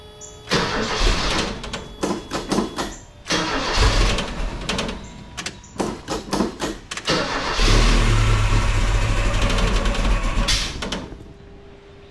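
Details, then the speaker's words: Ford Courier after one-wire alternator swap, battery 12.77 V: several stuttering cranks, then uneven strained run; drive belt wrongly routed over harmonic balancer, putting odd tension on engine and mounts. "that sounded weird yeah I had the belt on stupid one second but I had it on the uh harmonic balancer stupid so it was putting weird tension on the motor engine whatever motor mounts engine mounts motor engine it doesn't matter"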